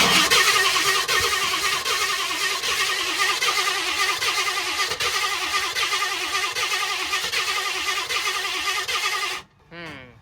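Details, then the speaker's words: 1960 Ford F-100 barn find, 428 big-block after years sitting: steady starter cranking about three beats a second, no firing; cranks but won't start, spark loss suspected; one cylinder later found full of oil and gas. "Did we lose spark? I guess you could pull a plug and see if she's even firing."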